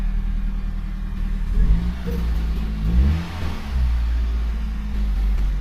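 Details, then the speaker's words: Kia Picanto first gen (2004-2007) small petrol engine after spark plug cable replacement: steady idle and a brief rev, smooth with no misfire or vibration. "so there are no misfire um no vibration or anything everything looks good and it's working"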